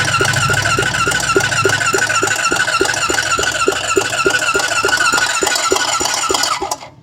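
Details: Honda 400EX ATV on its electric starter: steady churn with about three and a half even compression beats per second, never catching, then silence; cranks but won't start.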